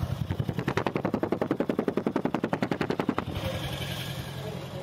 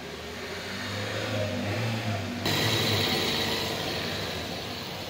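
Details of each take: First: Toyota Prius hybrid on cold morning start: rough, lumpy exhaust chuffing about three beats a second, misfiring and not taking load, caused by tight/jammed tappet valve clearance, before adjustment. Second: Toyota Prius hybrid petrol engine after tappet repair, running steadily and smoothly with no misfire, knocking or rattling; before the repair it had cold-start misfiring, poor load-taking and noise.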